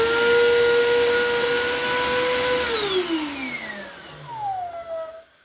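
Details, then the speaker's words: Bissell PowerForce Compact 2112 vacuum, 5.5 months old, after repair. A clean, steady high motor whine holds even, then winds down smoothly after switch-off; healthy. "holy moly I don't think I've heard a vacuum sound that good in a while"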